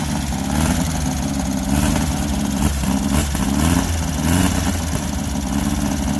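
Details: Air-cooled Baja Bug engine just started from very cold and never yet run up to temperature: revs wander and stumble unevenly; owner suspects the stammering and dying comes from being cold-blooded, as it eases when warm.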